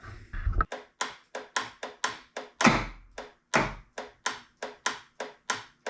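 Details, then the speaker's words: 1976 Aqua Sport bass boat, Mercury outboard, after solenoid replacement: slow, labored cranking with a heavy thunk about twice a second and no catch; slightly better, but it seems to lack full voltage, so the owner plans to replace the starter. "hmm interesting still got the same issue it did kind of kick over a little bit so it's probably a little bit better but it's almost like it's not getting full Voltage"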